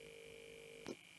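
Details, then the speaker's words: Home-built vocoder routed through a sound card with filter boards 3, 4, 11 and 12 not plugged in: steady thin buzzing tone with high whine above, cut off by a click; buzz from the unplugged filter channels. "Now you're hearing background buzzing because that's coming from the filters 3 and 4, which I've not plugged in, and 11 and 12."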